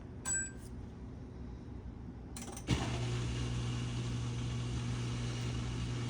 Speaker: All that's normal, short drain, and then it should go into a wash. So it sounds like your drain pump is working, by the way. You can hear it. That's all drain pump.